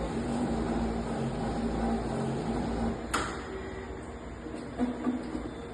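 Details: Toshiba 3015AC copier: uneven scraping rattle at about three to four beats a second under running, from the fuser area; abnormal fuser sound, cause suspected, not confirmed.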